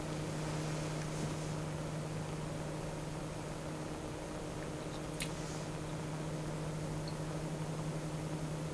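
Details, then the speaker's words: Noctua NF-P12 120 mm fan (1300 rpm at 12 V) on its black low-noise adapter, which puts a resistor in the positive line, mic close: quiet, even low hum with a soft airy hiss and no ticking or rattle; normal reduced-speed running. "all these adapters do is put a resistor on the positive side so uh that's why it starts at even higher voltage because it's a resistor in the circuit"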